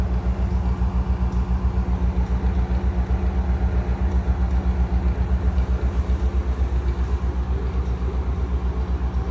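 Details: NuTone ceiling exhaust fan from about 2010–2011 running with a rough, rumbling grind and steady throb from very bad bearings.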